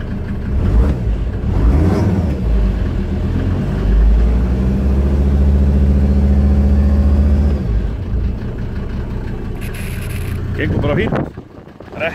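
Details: 1991 Ford Explorer turbo diesel cold start after sitting since July 2016, fuel system primed and battery charged: fires after a short crank into a steady, even diesel rumble under heavy wind; injector return lines later found leaking diesel.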